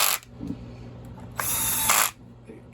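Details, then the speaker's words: Cordless screw gun used while reassembling a STIHL MS291 chainsaw: short bursts of high-pitched whir with ratcheting clicks as the clutch slips at set torque to prevent overtightening; normal. "In case you didn't catch it earlier, this is not a uh an impact. This is a screw gun. So, whenever you hear that that clicking noise, that's the clutch uh taking the pressure off before I overtighten something."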